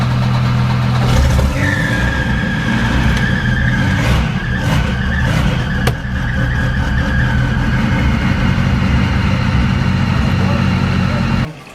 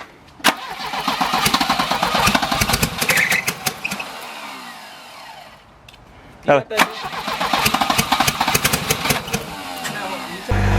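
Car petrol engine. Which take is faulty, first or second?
second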